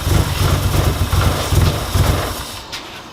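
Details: Nissan SR20 in a 240 catching with a lumpy, uneven low chug, then dying instead of idling; after fuel system reassembly, fuel pressure about 50 psi versus 43.5 expected, rich mixture, one plug very wet; cause unresolved.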